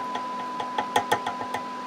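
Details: Trimmer capacitor on a steel chassis: each light tap sets off a sharp ringing pop over a steady hum; microphonic trimmer capacitor.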